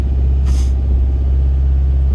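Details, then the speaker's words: 1989 Honda CRX Si, 147,000 miles, no catalytic converter, cold start. Steady, fast, even idle drone at about 2,000 rpm, settling to about 1,000 rpm when warm; high cold-start idle. "It idles kind of high. Cold start, idles at about $2 grand."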